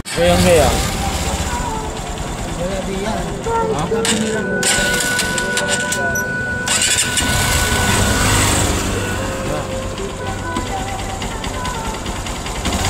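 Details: Motorcycle engine right after a cold first start: harsh metallic tapping over the single-cylinder idle, like metal knocking, from carbon deposits on the head striking the piston; the noise disappears once warm.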